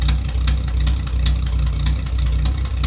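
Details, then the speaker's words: Old Nash flathead six, 6-volt positive earth, just started after long storage with starter fluid, blowing black soot: low, steady idle with even firing and a faint light tick; running smoothly, normal idle. "he's running all right now I'm even more excited right now"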